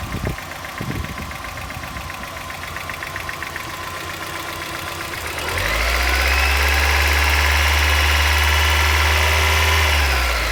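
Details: 1990 Mazda Miata at idle: crisp very regular tick about four per second, drowned as revs rise; owner suspects lifter tick, unconfirmed.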